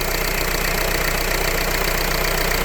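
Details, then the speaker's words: Renault Laguna 3 2.0 dCi diesel just started cold during a timing chain job: busy clatter with a steady rubbing hiss over it. The owner says it rubbed when cold and suspects a noisy bearing; the cause is unconfirmed. "le bruit là il le fait plus avant un froid il le faisait ça faisait un bruit de frottement"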